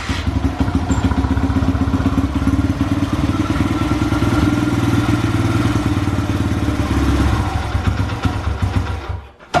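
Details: Honda XR100, warm, after hours of carburetor cleaning and tuning: small single thumps steadily, pulling slightly as revs rise and settling before cutting off; runs fine warm but still won't start when cold.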